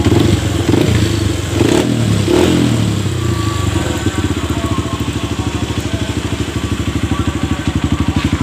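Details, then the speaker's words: Honda CRF fuel-injected bike with a complaint that it dies on low fuel; tank drained to about 1 liter, nearly empty. After a few blips it settles to a steady, even idle thump and keeps running, no longer dropping out. "Ini normal, tidak ada kendala ya, sudah dihidupin lama. Biasanya langsung ngedrop seperti habis minyak seperti biasanya."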